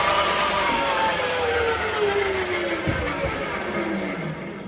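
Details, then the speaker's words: Refurbished 3-phase motor on a Centec 2B milling machine, rebalanced with new belts: smooth tone falling steadily as the motor winds down, no grinding, clicking or clattering; running true. "now is by no means as silent as those modern mini mills but there's no grinding there's no clicking there's no clattering and i'm very pleased"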